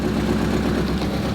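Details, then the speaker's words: Barn-find Mazda Miata sitting 3 years, just started on fresh gas and battery, oil unchecked: steady low idle, even beat, no knocks or misses, good oil pressure; running fairly smoothly. "it honestly seems to be running pretty smoothly considering it hasn't run in 3 years"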